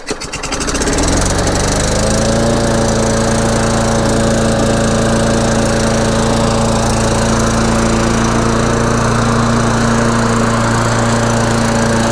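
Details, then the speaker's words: Free Craftsman push mower with a Tecumseh engine, fixed with a new air filter, filter housing and carburetor adapter collar. Primed three times and pull-started, it catches and settles to a steady, even drone of constant pitch. "all right guys well there you have it seems to run good uh everything seems to be working fine"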